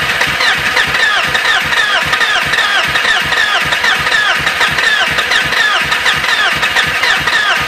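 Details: BMW E36 hard start: long steady cranking at roughly eighty strokes a minute without the engine catching; prolonged hard start, cause suspected but not confirmed.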